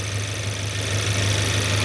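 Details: Idle of a rebuilt 2023 VW DLB engine (23k km) after a cold start and an oil and filter change, not yet warmed up. Even low idle beat holds steady with no ticking, knocking or misses; the engine runs cleanly.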